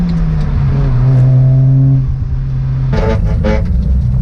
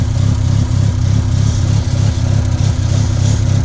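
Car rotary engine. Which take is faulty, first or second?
second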